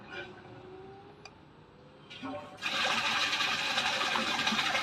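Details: Topsun LV solar water pump motor starting up with weak sunlight, then running steadily at about 1,900 rpm: quiet start, then a sudden steady rush of water with an even hiss. Normal running before setting the low/high speed parameters.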